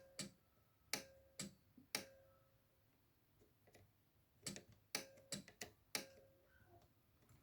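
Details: Yamaha A-460 stereo amplifier with a right-channel fault: sharp, irregular protection-relay clicks, about a dozen in eight seconds, tripping on DC; the cause is cold solder joints on the STK3042 MKII module, fixed by resoldering.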